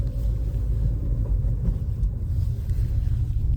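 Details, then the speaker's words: New Lada Vesta NG, 1.6 122 hp, 6-speed manual, pulling away in first: only low, even engine rumble, no rising gear whine; gearbox sounds healthy, though a noticeable vibration is blamed on the engine mount. "Гула никакого я не вижу. Вот я слышу только звук мотора."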